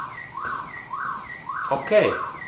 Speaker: and now as we can see there is sound is weaker and I have eliminate this my car horn